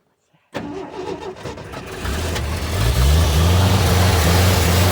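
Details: 1979 Ford High Boy truck, pushing choke: starter grinds, then catches and stumbles unevenly before settling; gas leaking from filter, suspected stuck float/clogged carburetor restricting fuel, not confirmed.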